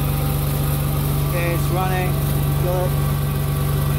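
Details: Truck that previously would not start because of excessive fuel delivery, idling after a new fuel vaporizer was fitted. A steady, even low idle with a smooth regular pulse of about four beats a second, no misses or knocks. Normal idle.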